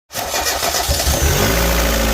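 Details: Mazda Miata MX-5, a no-start diagnosis: a quick crank catches almost at once and settles into a steady, even idle with no misses. A normal start.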